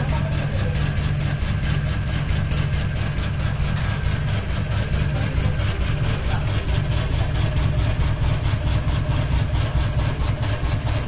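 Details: Ceiling fan running with a ball hanging: steady low motor hum with a rhythmic thump a little over once a second; unbalanced rotor wobbling on its mount.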